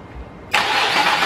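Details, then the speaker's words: 1998 Infiniti I30, replaced engine, harness, sensors and fuel pump, runs only on ether: starter spins evenly, never fires; no injector pulse from the computer, fuel not delivered. "good all right so the computer is not working so now we're gonna figure out what's going on"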